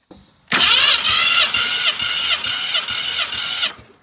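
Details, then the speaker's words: 1965 Ford Fairlane barn find sitting since 2001, cranking on a compression test reading about 150–160 psi, within 10%: starter spins evenly, about eight regular compression beats in three seconds, no drag; normal cranking, cylinder holding compression. "We're looking for high values like this 160, but also within 10%. This side's great."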